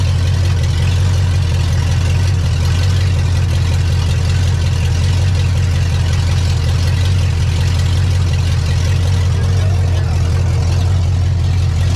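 Deep, smooth, steady rumble with an even firing beat and no tapping or misfire: a healthy big-block idle.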